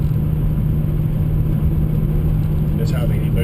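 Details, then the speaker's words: Mazda MPS running under about 5 PSI boost while warming up, external wastegate fitted; steady even engine drone under gentle driving, no knock or odd noises, everything running well. "I'm just just warming it up. Um no issues with um knock or anything else. Everything's running well. Um, everything sounds right. I'm not hearing any odd noises outside of, you know, the normal stuff."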